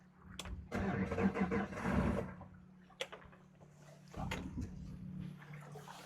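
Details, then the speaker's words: Yamaha 250 SHO outboard on a bay boat returning from a sea trial, alarm on and a hot smell: surging, stumbling bursts then a lumpy faltering run; rough running, blown motor feared. "Not good. Motor's not happy. Hold on. We have an alarm going off. Hold on. That sounds bad."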